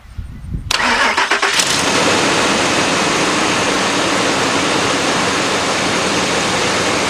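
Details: 1997–2002 Ford Expedition that cranked but wouldn't start; the fuel pump was not heard at first, and pressure was then built up to 35 before cranking. A few seconds of cranking, then it catches cleanly into a steady idle; the pump connector was found not fully plugged in. Normal start.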